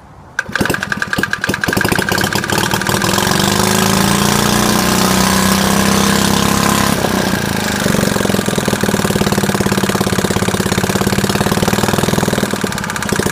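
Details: Worn early-1960s Suffolk 75cc lawnmower engine on its first start attempt pulls into life after cranking, then runs loud and ragged with an irregular beat; rough running, owner questions how long the inlet valve will last.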